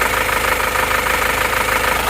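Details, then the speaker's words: Isuzu Panther diesel after repair (a cracked, broken injector nozzle spring found and all nozzle pressures equalized): even idle clatter with a steady, regular pulse and no missing beat; cylinder 1 now firing, nozzles possibly worn. "Oke, ini sudah menjadi lebih rata ya."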